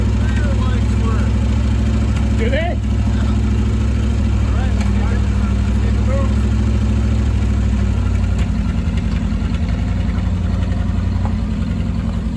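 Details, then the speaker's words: 1968 Chevy C10, about 50 years old, just restarted: deep, steady idle rumble with an even beat, no misses, knocks or ticks; healthy, smooth idle. "perfectly fine sounds like a dream"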